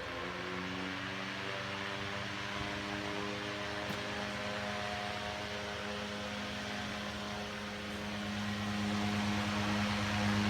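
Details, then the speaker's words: Restored 1902 GE pancake antique desk fan with an early AC electric motor, cleaned of corrosion and oiled, 5-speed with audibly different speeds; smooth, even electric hum and gentle air rush, no rubbing or ticking, running normally. "Well, it is a 5-speed. You can actually hear the differences between the different speeds."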